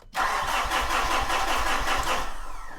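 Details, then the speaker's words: Mitsubishi Fuso 4P10 diesel with ongoing no-start: even cranking chuffs about four per second for a couple of seconds, winds down without firing; cranks but won't start, injector line looks bone dry with no fuel delivered while cranking. "that definitely should have had fuel come out there and that to [Music] me looks bone dry"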